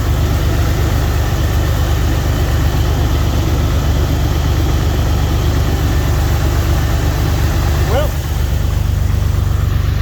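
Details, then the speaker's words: Jeep XJ at idle right after alternator replacement for a squealing problem, belt back on: smooth, steady low hum with no belt squeal or chirp; charging and running smoothly. "Oh, she's charging up. Running nice and smooth."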